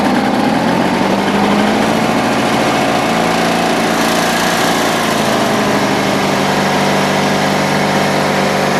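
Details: Cold engine in snowy weather, just refueled and given more choke after stumbling. It runs at a steady high buzz with an even beat and no misses or hunting, settled and smooth. Normal running.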